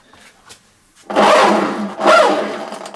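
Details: Hyundai walk-behind lawn mower pushed forward: harsh rasping grate with squealing edge each time it rolls, from a dry freewheel clutch in the drive system, fixed by removing the wheel and lubricating it.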